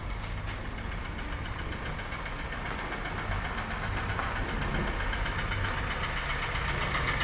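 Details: 2016 Kia Sorento 2.0 Theta II at idle after a jump start: rough, fast, uneven metallic clattering over the idle, called terrible; loose main timing chain rattle, with timing and oil pump chains to be replaced.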